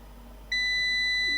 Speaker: so this is why our inverter isn't running it believes it has an over current condition